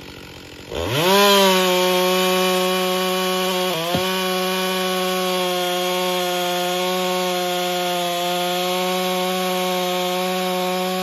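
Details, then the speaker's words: Husqvarna 562XP chainsaw after repair: it would not idle and was hard to start, an air leak was found and the bent decomp valve stem was leaking, and it was pressure and vacuum tested afterward. Under load it holds a strong, even two-stroke scream near 12,000 rpm with no misfires; runs fine. "seems to run fine I was a little disappointed that it didn't start right away"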